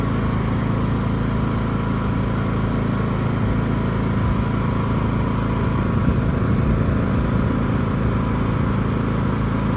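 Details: John Deere E100 riding mower, after the repair with a cheap part (it had died while running with a puff of smoke): steady, even low engine drone with no misses, knocks or surging; the engine runs healthy.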